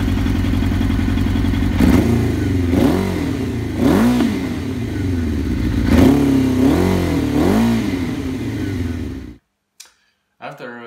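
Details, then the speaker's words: Suzuki GSX-R1000 K1 idling roughly with a lumpy, loping beat like a V-twin chopper, lacking power on acceleration; caused by out-of-sync throttle bodies and clogged fuel supply, later fixed. "when it was idling on just a war modeling it was a sounding it was sound like uh V2 it's a like a chopper or something"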